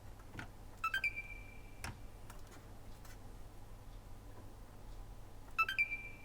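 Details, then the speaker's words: Corroded Xbox One S with a destroyed HDMI port, powered on during repair: a single short beep, another a few seconds later, then no lights and nothing; beep on, beep off, cause uncertain. "a beep and nothing no lights no nothing"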